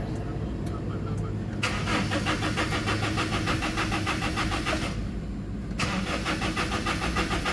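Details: Toyota Innova, manual transmission: steady starter cranking at roughly three turns a second, but the engine never fires; crank no start, fuel system to be checked next.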